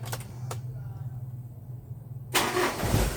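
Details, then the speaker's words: Engine that is hard to start in the mornings with heavy cranking, sometimes needing a push. An immediate warm restart gives a brief crank that catches quickly into a steady run. A failing battery cell is suspected. "Nah tuh kan, langsung bisa ya. Sebentar lagi tuh normal, berarti malah kerusakan pada akinya."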